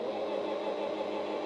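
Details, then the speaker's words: Singer sewing machine, foot pedal pressed but the needle bar is not moving because the bobbin winder is engaged and spinning. Steady mid-pitched motor whir with no needle ticking. The fix is to disengage the bobbin winder. "To turn on a sewing machine, press the foot pedal, nothing happens. However, you see what is spinning up here is my bobbin winder."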